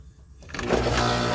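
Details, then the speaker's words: Heat pump/AC outdoor condenser unit starting after contactor replacement and reinserting the safety disconnect: steady low compressor hum and fan rush. Normal startup. "yeah look at that it's going to be some cold there now and you can really hear that compressor humming in there"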